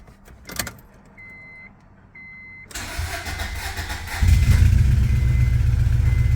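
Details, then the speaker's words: 1999 Acura Integra DC2 B18 LS, bent valve run ~100,000 miles, still warm: cranks and catches into a low, lumpy idle with rapid exhaust chuff; misfire from bent valve, exhaust leak owner suspects from plugged original catalytic converter. "the only thing that i know wrong with the car right now obviously the bent valve in the engine and it has an exhaust leak which i think is because of the catalytic converter being plugged"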